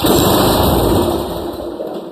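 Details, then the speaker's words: Long-stored Craftsman walk-behind trimmer, Briggs & Stratton Quantum engine with good spark, primed with brake cleaner: a brief burst of firing that dies within two seconds. Fuel starvation from a plugged carburetor and stale gas. "Okay, that's a good sign. However, it didn't even attempt to continue."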